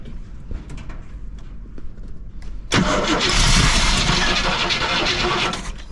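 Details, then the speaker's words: Motorhome engine with HEI ignition after sitting over 10 years, on starting fluid: slow, even cranking, catches roughly about three seconds then dies; ignition good, fuel starvation. "well guys at least we know that it turns over now and it wants to fire we know that the ignition system is good"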